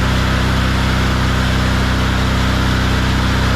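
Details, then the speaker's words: Hobart 10,000 W welder generator with Kohler engine after carb and fuel system repair, warming up: strong, even low thrum about four pulses a second, steady without stumbles or surging; normal running. "running great right now I'm gonna let it run a little bit let it heat up a little heat cycle"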